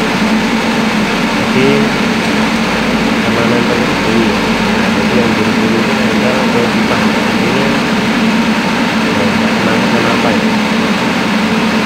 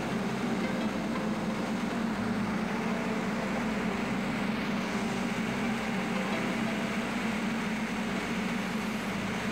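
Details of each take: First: Main air compressor with replaced after-cooler running: loud steady hum with a faint rough scraping edge as the fan catches its cover because of a loose bolt; noise went away once the bolt was tightened. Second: Main air compressor after its after cooler was replaced, pressure now stronger: steady, even mechanical drone with a constant low hum and no knocking, squeal or surging; running normally.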